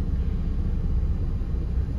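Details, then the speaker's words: Mazda MX-5 Miata NA8, about 30 years old, after ECU capacitor replacement, cold: steady low idle rumble with steering turned, power steering pressure sensor boosts idle without sagging; normal idle compensation under load. "watch oh there it goes and it's compensating so that's all working fine"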